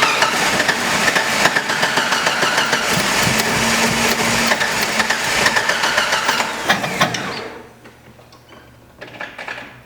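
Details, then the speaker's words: 1993 Jeep Cherokee XJ on a cold snowy day, fuel pressure holding about 35 psi: fast even cranking, about three beats a second, occasional stumble but no catch; crank-no-start, fuel ruled out, spark to be checked next. "before this in the video we really try to start it we don't get anywhere it kind of sort of stumbles and rolls over a little bit"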